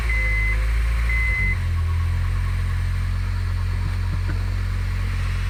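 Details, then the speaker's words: Car that skipped timing after a failed timing chain tensioner, after timing kit, refilled coolant and fluids, fuses reinstalled: dash chimes, short crank, then the engine catches and settles into a steady, even low hum. "okay we're going to bump it into this engine engine start mode so I got the coolant all in all the fluids everything seems to be okay I got the fuses back in so"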